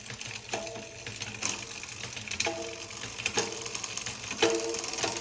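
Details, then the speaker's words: Cannondale CAADX with new Hollowgram wheels, XD-R freehub, 10-42t GX 11-speed cassette, 48/31 GRX crankset and Kogel pulleys, run through gears: light freewheel ticking with a crisp click every couple of seconds as the chain steps across cogs; normal shifting. "so I'm going to just kind of run through the gears and show you guys that a 10 to 42 is meant to go with this 48 /31"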